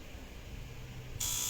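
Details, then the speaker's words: Naza Citra automatic gearbox, shift control solenoid valve actuated by scan tool: low background hum, then a sudden steady high-pitched buzz holding evenly as the solenoid clicks in; test succeeded, solenoid working properly. "Okay, dengar tak? Itu solenoid dah bunyi. Okay, maksudnya bila kita tengok sini, kita stop. Okay, succeed. Nampak tak? Succeed. Maksudnya solenoid ni berfungsi dengan baik."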